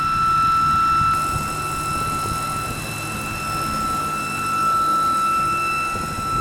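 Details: BMW E92 with a newly developed loud, steady, high-pitched whine of constant pitch over the running engine, coming from the engine bay; source unknown, awaiting mechanic.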